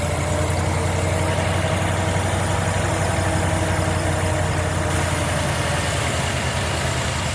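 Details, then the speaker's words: 1990 Jeep Grand Wagoneer with a newly rebuilt AMC 360 V8 and Holley EFI after restoration. Steady, even idle with a smooth low rumble, very low vibration, and no knocks, ticks or misses: normal idle. "smooth squad get engineers got very low vibration on the top"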